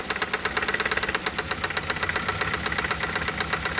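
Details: Toyota 1ZZ-FE engine at steady idle: sharp, light ticking knock about four times a second from inside the engine; fourth cylinder suspected, not confirmed.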